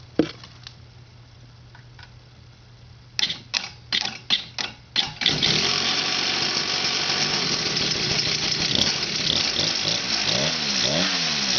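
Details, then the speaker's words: X7 mid bike with stock 49cc weedeater-style two-stroke, untuned carb, jump started: a few blips then a fast, buzzy, even idle with a steady beat; runs fine, though clutch chatter remains. "Idle's pretty good, not too bad, not too bad. Still working process here, but it does sound all right."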